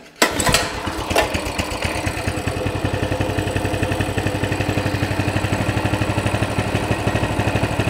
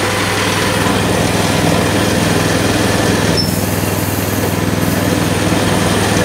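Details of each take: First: Coleman CT200 mini bike, non-adjustable carb, throttle return spring disconnected: the engine starts, then settles to an even single-cylinder putt at about 1490–1600 rpm. The target is 1700 and the reading fluctuates. The centrifugal clutch no longer turns the wheel, giving a normal idle. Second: Coleman CT200 mini bike with a non-adjustable carb, rear wheel up on a jack: the small single revs fast and steady at idle right after starting, and the centrifugal clutch engages and spins the wheel.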